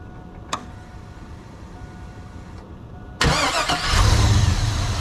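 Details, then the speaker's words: 2001 GMC Sierra 2500 6.0 V8 with a new starter fitted to fix an intermittent no-start: one quick crank, then an instant catch into a steady, even idle with no grinding or clicking; starter and engine healthy. "Let me fire this thing up with the new starter and you'll definitely be able to tell the difference."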